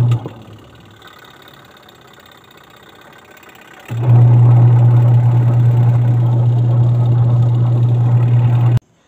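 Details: Sharp twin-tub washing machine with built-in wash timer, repaired for a wash motor that wouldn't stop and a burning smell: quiet, then a steady low motor hum for about five seconds that stops cleanly; normal wash motor operation.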